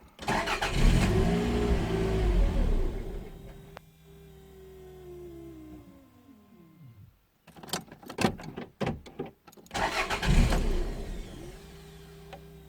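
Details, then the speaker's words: 1992 Toyota MR2, parked six months, ignition fault history (distributor pickup, igniter); usually starts then stalls when cold: engine catches, revs sag and die, recranks and refires; cause not yet found. "that's weird well there you go it's done the fault yeah doesn't run at all now I can hear the fuel pumps sort of running and then it stops that's not good"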